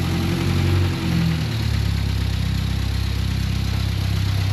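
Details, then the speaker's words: 1961 Mk1 MG Midget roadster after 54 years sitting, idling with oil pressure restored and no cooling system yet: steady, even four-cylinder idle, quiet smooth low rumble, no knocks, ticks or misses; healthy. "Definitely a little nerve-wracking until we got that oil pressure coming through, but once we did, man, this thing is quiet. It is smooth. No knocks, no ticks."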